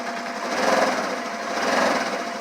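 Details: Polaris quad with a weak battery charged to about 12.6 V; fast, even chatter at a steady idle with no knocks or misses.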